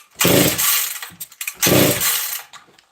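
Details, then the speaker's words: Chainsaw (268 XP) that has sat for a week, almost no fuel in the tank: two rough pull-cord rips that fade without catching, no fire; owner suspects lack of gas. "i don't think there's any gas in this saw friends"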